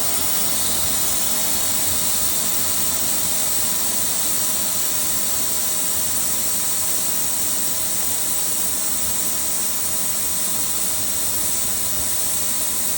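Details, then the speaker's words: Pool pump restarted on auto after filter cleaning with the filter relief valve open: a strong steady hiss of trapped air escaping over the pump drone, a normal air bleed until water appears. "While that's turning on, we still have this open. You'll hear air releasing, doing exactly what you want it to."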